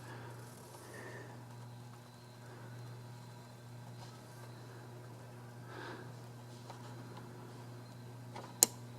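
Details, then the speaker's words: Nissan Sentra blue fuel pump relay bench-tested with battery clamps: quiet hum then two sharp clicks as power applied; relay operational during fuel pump diagnosis. "I think you could all hear that so this relay seems to be operational"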